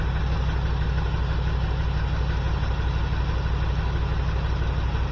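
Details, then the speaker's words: 1979 GMC C15 LS swap, P0300 misfire, checking cylinders by pulling plug wires at idle: rough, lumpy idle with heavy uneven throb, about three pulses a second; cylinder 5 has spark but isn't firing, injector suspected. "Start her up. In here, it's missing like a mofo. So there we go. 5 isn't hitting."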